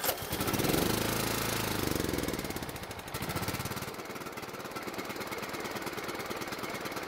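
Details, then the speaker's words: Old riding mower single-cylinder engine primed with gas, carburetor previously cleaned and jet cleared yet dies off choke: uneven thumping about three beats a second, sputtering and surging, no steady idle; runs only on full choke, blocked carburetor or fuel jet suspected. "another reason why this engine would only run on full choke is that there's a blockage in the carburetor or the fuel jet"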